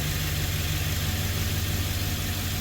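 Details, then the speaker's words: 2013 Ford E150 full-size van V8 with misfire and flashing check engine light, after replacing a melted spark plug, after sitting about an hour: steady, even idle with no stumble or miss; runs smoothly. "oh there you heard the motor making noise and it's only been sitting for an hour maybe it sounds smooth all"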